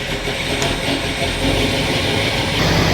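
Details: Steady, even V8 idle of the Rat Rod Wrecker engine after an oil filtration system was added and it was fired up, deep smooth rumble with no knocking or rattling and no visible oil leaks; a bearing problem was found earlier, but the engine now sounds healthy.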